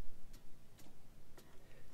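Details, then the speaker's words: Case 5130 tractor with Cummins 5.9 12-valve engine after starter replacement: crisp, isolated clicks as the key is switched, showing the solenoid and ignition key circuit are working normally. "good that's going into the ignition if you didn't hear a click something would probably be wrong up in the key"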